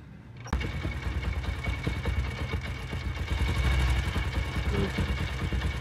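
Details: Honda CD70 single-cylinder motorcycle idling after repair: steady even low thump with no knocking. The earlier "dug-dug" noise on morning starts, blamed on a worn, loose bush, is now gone.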